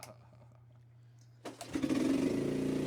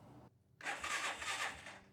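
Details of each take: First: 1985 Suzuki Quadrunner ATV after chain tensioner and chain parts replaced: four pull-cord rasps, then catches and settles into a steady, even single-cylinder idle; runs normally. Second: 1985 Suzuki Quadrunner ATV with a new, properly charged battery: a short, uneven burst of cranking that fades without firing. Engine turns over but won't start.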